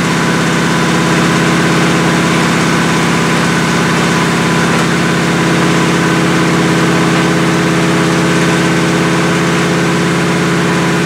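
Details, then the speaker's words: 1977 Chevrolet Malibu V8 cold start at about 57°F with non-functional choke: a steady, smooth fast idle for a 15–20 minute cam break-in run, with no knocks or misses; running normally. "So I'm going to go ahead and fire this thing up and idle it up and try to do another 15-20 minute run to try to break the cam."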